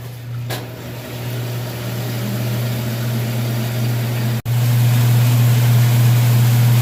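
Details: Washing machine with the lid switch bypassed by a screwdriver, on the drain cycle after filling: steady, even low pump hum with no rattling or straining. The water drained, so the drain pump works properly.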